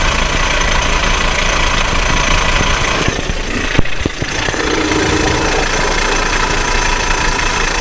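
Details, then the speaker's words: Idling car engine with constant rough whirring rattle unchanged with speed, heard outside near the starter; first thought a bearing, found to be starter drive (bendix) noise while running. "If you could notice it, the noise comes from The starter engine or close to it At the beginnig I thought it was a bearing"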